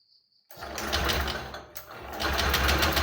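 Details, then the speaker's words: Honda Genio scooter with lost ignition, possibly from coil, stator or ECM: during a test with a lead clamped to battery positive and the light-green wire, the starter spins steadily but it never fires; no current at all, cause unconfirmed. "Nah ini mati, nggak ada arus sama sekali ya. Kita start lagi, kita engkol."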